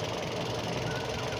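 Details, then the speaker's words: Used car engine running at the front, radiator reservoir open showing coolant circulating without spurting: steady, even, smooth idle with no knocks or misses; engine healthy. "Nah ini kan mesin masih nyala ya teman-teman ya mesih nyala suaranya pun masih masih halus"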